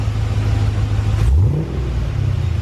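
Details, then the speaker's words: Honda S2000 with brand-new replacement LS V8 swap on fresh conventional oil, catalytic-converter exhaust: a quick free-rev throttle blip gives a deep, even rumble that settles straight back, no knocks or misses; healthy, quiet engine. "how'd you hear the motor sounds fantastic this is the new replacement motor and it sounds great also happy to report the exhaust sounds pretty good he's pretty quiet"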